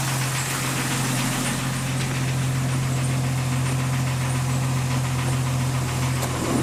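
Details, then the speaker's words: 1999 Jeep Cherokee Sport engine idling: faint cricket-like chirp three to four times a second; squeak from the AC compressor, not the belt; fix attempted by soaking with PB Blaster. "a lot of times you think that it's belt making the squeaky noise, but it's not. Uh, it's actually the AC compressor."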